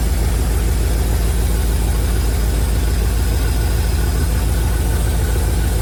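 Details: 1971 Chevrolet C40 truck, just revived after carb cleaning and idle mixture adjustment: low steady rumble with loose, rapid puffing tick around three per second at idle; owner says the exhaust is shot and causes the knock.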